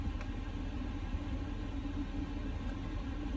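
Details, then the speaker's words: 2020 L5P Duramax diesel truck just after fuel filter change, cranked 5-6 seconds before firing: low even idle, steady rumble, no misses, surging or knocks; normal smooth idle. "Because then when I fired it up, I put my foot on the brake, pressed the start button, and then it cranked for maybe 5 or 6 seconds and then fired up and has been idling smoothly."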